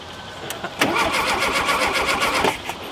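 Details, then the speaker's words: Rare VW Super Beetle Baja Champions Edition, first start in years after spark was confirmed and timing set. A couple of starter turns, then it fires and runs with quick, even beats; a healthy start. "Well, it's about time. Okay. So we know it's a runner."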